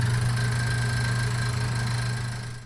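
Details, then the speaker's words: Nutone 8663RP bathroom ceiling exhaust fan hums steadily with a faint rough ticking as the blower wheel blades rub the motor bracket — exhaust fan blade rubbing motor bracket. "it seems like most bathroom exhaust fans have some type of squealing or ticking noise and this is not per the normal design it just happens over time parts wear out"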